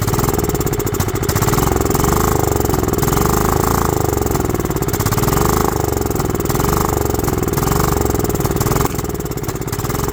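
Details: Goat-trampled Craftsman lawn tractor, 16.5 Kohler engine, restored tank, new fuel filter, fuel solenoid jumpered: ragged surging single-cylinder run, lumpy beat rising and sagging; fuel starved, carburetor or fuel solenoid suspected.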